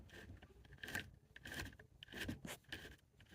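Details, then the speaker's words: Mud-fouled RC truck drivetrain, motor removed, turned by hand: uneven gritty scraping bursts with dry rasping between, a rough grind instead of a free spin; dirty bearings suspected, cleaning planned. "there's a little bit of grinding going on in there so what I'm going to do is just start cleaning more than likely the bearings are a little dirty"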